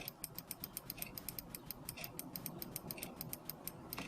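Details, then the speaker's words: Bench test of a repaired Mercedes C220 throttle body (idle-correction only, no clutch coil): working the throttle linkage by hand gives crisp quick clicks as the idle contact micro switch engages at closed throttle; normal switch operation. "I move the linkage is you can see it opens mechanically except for this very area at idle where it activates the micro switch here you can clearly hear it"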